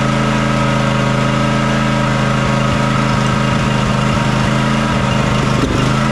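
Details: John Deere X300 riding mower that runs rough, surges and lacks power at full throttle, after fixing the choke: loud steady idle with an uneven, stumbling beat and irregular misses; fuel looks and smells fine, pointing to a carburetor or fuel fault.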